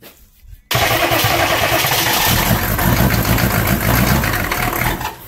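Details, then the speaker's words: 6.5 diesel after injection pump install: starter grinds about four seconds with a few ragged firing pulses but it never catches; owner expects it to start. "We got her to grump a little bit. We know it'll come to life."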